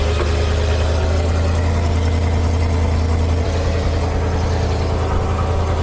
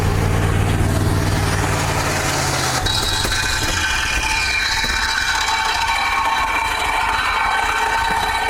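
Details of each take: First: Old dump truck bought at auction, idling: a steady, even low rumble at constant speed with no knocks or misses; it runs well, though the owner still thinks the carburetor needs work. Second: Old auction dump truck; runs rough and loud, harsh high screech rises then engine abruptly stalls, followed by belt or clutch smell and smoke, owner fears lockup; screech then stall, cause unconfirmed.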